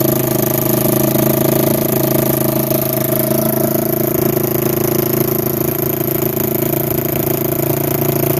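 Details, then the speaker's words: 1987 Kawasaki Mojave 250 ATV, neglected after long sitting, second start after tightening the exhaust manifold: single cylinder runs at a fast, steady raised idle with a raspy puff near the header; the choke is missing and its port is plugged with a small orange plug, causing the high idle, plus an exhaust leak. "got it running um it idled really high because there is no choke in the machine they just plugged it up with like this little orange plug and uh that's why it's idling extremely high"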